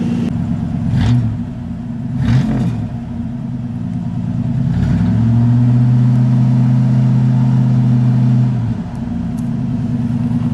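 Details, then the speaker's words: Ford LTD carbureted engine, started after two weeks unused, warming up, with a prior intermittent road sputter and stall (owner suspects carburetor gaskets failing when warm): steady, even run with a brief rev, no misfire or stumble; normal running. "everything seems to be running fine so far. I don't hear any misfiring at all."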